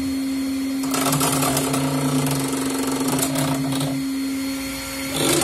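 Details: CNC 3018 Pro Z axis moving with a rough, stuttering buzz over a steady hum; swapping motors and cables between Z and Y axes didn't move the fault, swapping microstepping drivers did, showing a faulty Z-axis driver grinding the motor.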